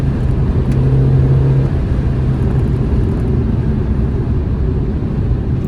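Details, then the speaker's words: Mini Cooper (£200 trade-in project car) on a road test: steady deep engine drone pulling evenly under road rumble, no knocks, rattles or whine; it pulls and handles well, temperature gauge just under half, normal running under acceleration. "Well, she seems to sound great. She pulls well, she's handling well."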